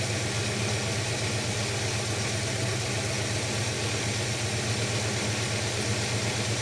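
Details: Holden HK engine at idle, running better than the previous day but not smooth: steady idle faltering with an uneven, stumbling beat about four times a second; suspected miss on a cylinder, cause not yet found.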